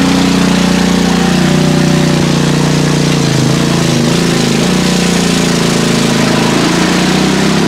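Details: PowerSmart MB5040B 4400 W generator loaded to about 30 A with heaters: loud, steady heavy drone without hunting; overload light on.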